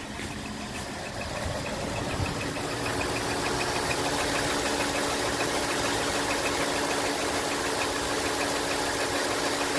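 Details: 2018 Ford 5.0 V8 with about 73 miles idling with a fast, fairly even light typewriter-like tapping, owner says more distinct when cold and idling; suspected top-end tick, truck taken to the dealer, cause not confirmed.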